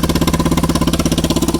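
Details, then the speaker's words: 1998 Yamaha Kodiak ATV, abandoned, on fresh fuel and started via a solenoid bypass, starts easily. Very loud, raw, crackling exhaust pulses at a steady fast idle, because the broken exhaust pipe terminates mid-run; exhaust leak. "but starts up very easy catastrophically loud because the the exhaust terminates right in the middle there"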